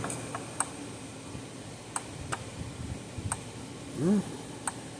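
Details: Zareba 3-mile solar fence charger, 0.05 joule, older unit, under repair for no output, now around 10,000 volts: sharp, even clicks about every 1.35 seconds over a quiet background; normal fence charger pulse.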